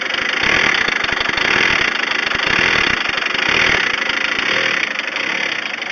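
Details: VW Transporter T4 with unstable idle, power loss and heavy white smoke: idle swells and sags about once a second with a clattery, uneven beat. The cause is an air leak at the crankcase breather recirculation hose to the intake.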